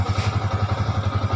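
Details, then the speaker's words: Yamaha Vixion with an intermittent sudden-stall and no-start complaint: it starts on the electric starter and idles with a steady, even low thump, no misses or stumbles. The weak battery drains below 12 volts; the fix is a new battery. "oke nyala dengan S tidak ada kerusakan di sini di mesin yang lain tidak ada kerusakan ya"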